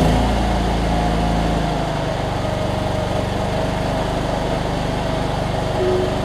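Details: Cub Cadet 1320 riding mower with hydrostatic transmission, small single-cylinder petrol engine running steady with an even low thrum, no knocks or misses; bogs a little on inclines, slow in reverse: normal running.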